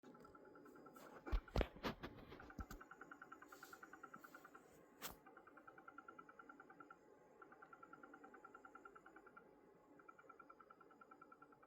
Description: It makes this noise when playing 4K video on youtube or doing something intensive on the graphics card.